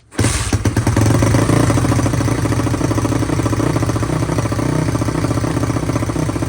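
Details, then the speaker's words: SSR YX140 pit bike engine with Nibi carburetor, first start after valve lash .003/.004 and oil change: single cylinder runs lumpy and uneven, rich because choke was left on. "Sounds like she might be a little rich. Forgot I had the choke on. That's probably why it wasn't running great."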